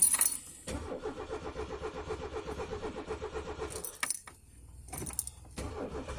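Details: Peugeot 205 1.4 laid up since July with a gearbox fault, heard cranking steadily at about four turns a second for several seconds without catching; hard start after long storage.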